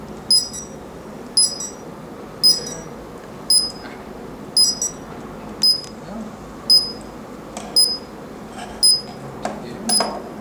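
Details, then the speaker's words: Smart Dog in-ground pet fence transmitter: a sharp high beep repeats about once a second, steady and regular, signalling a wire break because the boundary wire loop is open and not yet a closed circuit. "You can see right now it's called break because there's no closed circuit."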